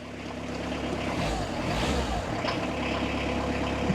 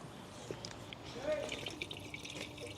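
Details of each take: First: Citroen Berlingo non-turbo diesel, started after waiting for glow plug light: settles into a steady, clattery low idle with an even beat and no misses; typical healthy non-turbo diesel. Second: Citroen Berlingo being topped up with coolant: liquid splashes and trickles steadily underneath as it is poured in, running straight back out through a leak.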